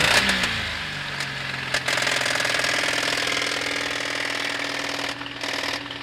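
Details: Toyota 1G-EU engine at idle: a fast, hard metallic ticking of roughly three per second over the hum; a knock from inside the engine.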